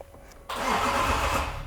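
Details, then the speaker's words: Range Rover L405 3.0 TDV6 diesel, first start after engine rebuild: brief starter crank catches into a rough run for about a second, then cuts out on its own; owner says air must be bled from the fuel lines. "Let's try one more time. It cut. On its own? Yeah, it's cutting."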